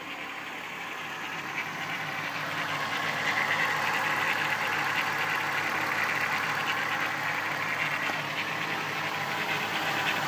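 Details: 1994 VW Golf VR6 at idle: a light, steady metallic rattle over the engine note from an early-stage worn timing chain, recorded before it got worse; owner decided to replace the chain.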